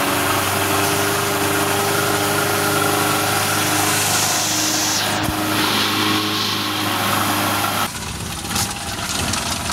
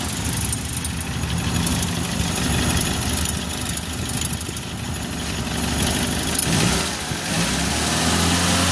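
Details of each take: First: Suzuki Carry 1.0 petrol engine at idle gives a very harsh, diesel-like klotok-klotok clatter; the cause is a worn timing cover mount. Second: 1994 Suzuki Carry 1.0 idling after repair of a rough, knocking engine suspected at the timing cover bearing: smooth, even idle with one clean rev and no clatter; the engine now runs healthy.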